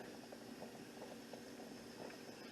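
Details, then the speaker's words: Nesco electric pressure canner at pressure, 75-minute timer running for pints: regulator weight holding 15 pounds releases a little steam; soft continuous hiss with light sputtering, normal steam release from the pressure regulator. "There is a little bit of steam coming out here. You can hear it. And that's normal."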